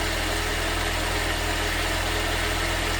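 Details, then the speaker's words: Ford Fiesta ST150 after an engine swap with new plugs and leads, starting first time and idling steadily and smoothly with no knocks or ticks while being run up to bleed air from the cooling system. "Now we're just going to let it run up. So obviously now we got to make sure that we get all the air out of the system."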